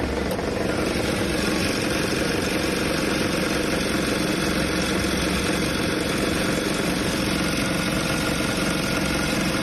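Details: Kia Optima with stalling and running problems: steady idle with a faint, irregular deep knock about three times a second; suspected engine bearing failure.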